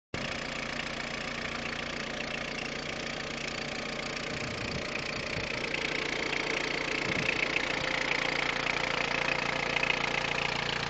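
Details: Peugeot 106 1.5 diesel, November 2002, 130,000 km, timing belt done at 73,000 km: rapid, fairly regular ticking clatter at idle with a faint higher tone; abnormal engine noise, source undetermined.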